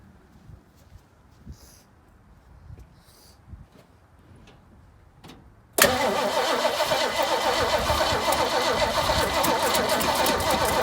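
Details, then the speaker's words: 1968 Mustang after sitting 8 years, fuel poured into the intake: the starter churns steadily at about four turns a second but the engine never fires; cranks but no start, owner suspects no spark from frosted points. "Seems like we might not have any fire, so I'm gonna go ahead and show you guys."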